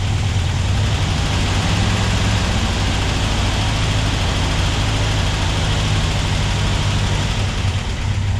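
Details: Porsche 356SC with rebuilt 90 hp engine, first start after engine rebuild and install; even, steady low idle with smooth firing rhythm, no knocks or misses; fuel leaks found at the lines afterwards; normal idle.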